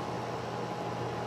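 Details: Outdoor AC condenser running on a no-cooling call where cans were left on the unit; compressor drawing about 7 amps, 71°F day. Steady, even fan rush with a faint constant hum, no rattles or buzzing; running normally.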